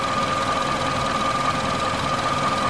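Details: 2002-06 Toyota Camry 4-cylinder after alternator replacement: low even idle hum with faint steady whine, no knocks or misses; charging 14.10 V, 14.35 V at cold start; normal idle.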